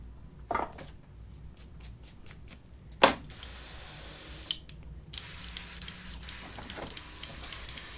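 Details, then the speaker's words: Iwata Eclipse HP-CS airbrush: air hiss broken by uneven spits and bursts before settling into a rough spray, as paint chunks from repeated cleanings build up and clog the tip. "what happens is Chunks build up in there every time you clean the airbrush out and they build up in the tip"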